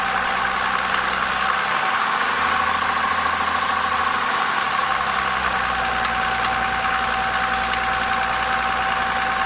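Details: Mercedes OM603 diesel at idle: steady clatter with a sharper knock at a fixed rate over it; engine knock, cause still being investigated.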